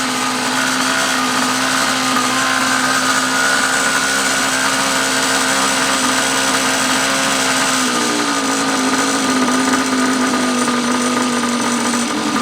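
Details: 49cc pocket-bike minibike left parked a long time; after fitting a new fuel line and fuel filter, the small two-stroke buzzes at a high, even pitch, then drops slightly and holds steady, running smooth with no misses or knocks.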